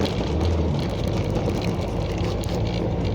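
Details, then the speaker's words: Motorhome engine labouring up a hill under load; heavy, rough diesel drone, loud but with no clear knock or whine; owner worried whether it will make the hill, cause unclear. "work full-time and it seems to be going up the hill fight Wow it's a bit noisy"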